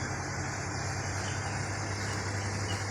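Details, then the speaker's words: Samsung WA10F5S3 washing machine repaired for not powering on (rusted panel screws, 12 V now stable): steady low hum and even whir in spin-dry, 5 minutes left, no knocking or scraping; working normally. "ตอนนี้กำลังปั่นแห้งอยู่เหลือเวลาอีก5นาที"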